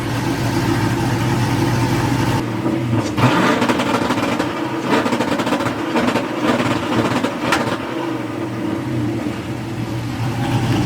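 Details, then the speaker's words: Chevrolet Nova V8 with exhaust cutouts removed so the exhaust runs full length to the back: deep, throaty burble rising and falling with throttle blips, smooth with no rattle; exhaust sounds healthy. "We finally took the cutouts off of this thing, so now the exhaust goes all the way to the back and actually sounds good now. It's not all annoying."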